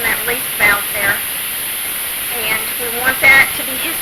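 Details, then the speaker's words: All American pressure canner processing turkey broth: steady high-pitched hiss of steam escaping the vent, even and unbroken; normal venting for about 10 minutes before the 10 lb weight goes on. "y'all hear that hissing noise that is the steam being released from that"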